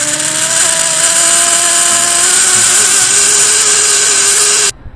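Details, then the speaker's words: Whirlpool-style top-loader washer filling: a loud, steady high squeal over rushing water; a failing cold water inlet valve is suspected, and the fix is to replace the valve. "if your machine is squealing and when you when you turn it on regular and you push the button and when the water starts to go in there it just squeals"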